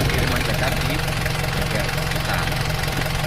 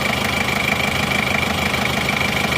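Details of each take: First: Chevrolet Trooper diesel, original engine 20 years never opened, before rebuild: fairly even idle clatter about 220 beats a minute, still smooth, but smoking from lower exhaust even cold and losing power when hot; due for overhaul. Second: Chevrolet Trooper diesel after engine rebuild, warm at 75°C with thermostat fitted: even steady idle clatter, no misses, knocks or surging; smooth and crisp, no visible smoke.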